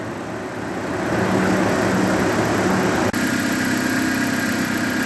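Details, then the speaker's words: Dodge Caliber after relocating its faulty fender relay box, with the radiator blocked by cardboard to warm up. Rushing air swells and holds over the idle as the cooling fans kick onto high speed; working normally. "And there we can hear it perfect. The fans just kicked on to high speed. Awesome!"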